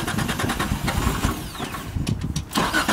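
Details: Datsun 240Z track-build project car, first start attempt: uneven rhythmic chugging of the starter turning the engine over, with firing pulses catching through it; a normal start attempt.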